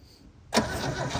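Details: Holden HQ one-tonner off the road 29 years, first run with stale fuel and a carb still needing cleaning: catches at once after a short crank, then runs with an uneven, lumpy beat, smoke from the breather tube; rough running after long storage.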